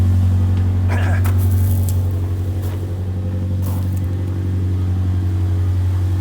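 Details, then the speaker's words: 2002 Subaru Impreza non-turbo, no muffler, in drive: steady, loud open-exhaust rumble with no grinding or clicking, unlike the earlier grind from a suspected broken CV axle; drivetrain normal. "but at least i'm not hearing that horrid sound i heard before when i put it in drive"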